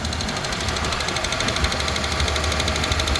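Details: Mazda 323F V6, first start after packing out loose battery terminals and fixing a vacuum leak: fast, sharp ticking, about three per second, over a cold high idle that isn't hunting; loud top-end tick on cold start, cause unconfirmed.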